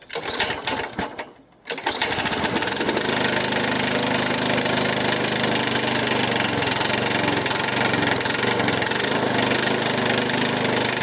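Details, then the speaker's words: Hayter Harrier 56 Pro lawn mower, carburetor needing carb spray to start, runs with uneven knocking rattle under the deck from a loose blade clutch plate. "yeah definitely some kind of knocking interesting"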